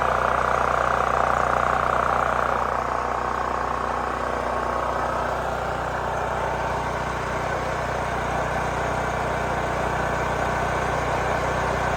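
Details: New Holland Agriculture 6500 W generator whose engine locked up after running low on oil, suspected stuck valve; after valve cover work, fresh fuel and choke: engine settles from higher catch into steady, even drone, no knocking; running normally.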